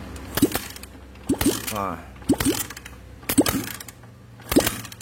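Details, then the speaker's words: Honda Verza 150cc fuel-injected engine that had seized with a destroyed piston, after rebuild: compression test with the spark plug hole covered while kick-starting gives sharp puffs about once a second, showing compression is back to normal. "kalau ditutup dia akan meledak seperti itu suaranya itu menandakan kompresinya sudah kembali normal Lur"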